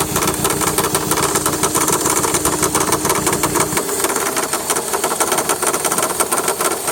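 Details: 2003 VW Jetta 1.8T petrol engine at idle with a quick light ticking over the engine sound; tensioner pulley later replaced without change, owner asks whether it could be the water pump or power steering pump.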